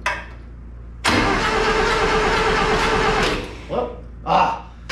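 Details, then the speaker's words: Long-sitting Satoh S-550G tractor, 4-cylinder gas engine, cranks slowly and unevenly for a couple of seconds but never fires; the choke had been left unhooked. Turns over but won't start. "Hey, she turns over. That's really cool."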